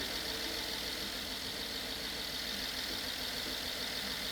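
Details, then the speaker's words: BMW F10 550i N63 V8 first startup after rebuild for hydrolock-bent rod and cylinder wall repair; quiet, even idle with light hiss, no knock, misfire or smoke, running smoothly before warm-up. "The engine's running, it's not misfiring, it doesn't make any noises, no knocking noise, and look at this."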